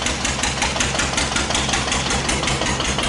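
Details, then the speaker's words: 1941 Witte CD 12 hp single-cylinder diesel, 8000 W generator set, worn engine, with about 2000 W more load added: steady heavy thump near 160 beats/min, labouring as speed and frequency drop; owner suspects governor linkage backlash. "yeah he's starting to slow down frequency dropped quite a bit"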